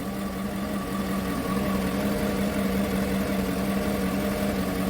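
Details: 2015 Chevrolet Tahoe V8, cold idle, code P0300, misfires shifting mostly cylinder 1 but also 3–8: uneven loping beat with irregular stumbles; misfire traced to spark plugs, plug 1 fuel-smelling, after earlier timing engine work.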